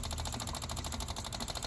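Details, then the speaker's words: 1983 Honda Shadow VT750C, fuel line from the carburetor junction routed into a gas can to drain old fuel: rapid even ticking, around thirteen clicks a second, steady rhythm; electric fuel pump working normally, pumping gas. "fuel pumps working I can hear gas shooting in here"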